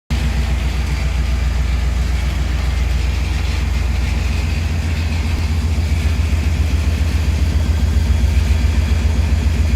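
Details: 1999 Tahoe V8 running: deep, loud low rumble with steady puffing pulse about 220 a minute; exhaust leak.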